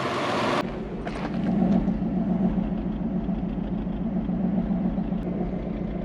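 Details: Toyota Soarer (same as SC400), 1UZ V8, after replacing two wet, burning ignition leads: low, steady V8 rumble with a fairly even beat and no obvious stumble, idling much smoother but not fully right.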